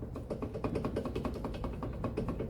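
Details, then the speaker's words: 2014 Mazda 3 front single-piston brake caliper rocked by hand: sharp irregular metallic clacks about four a second from excessive movement, pointing to worn or unseated slide pins and boots; heard over rough roads and downhill. "So as you can see, there's excessive movement. I don't know whether we can hear that or not."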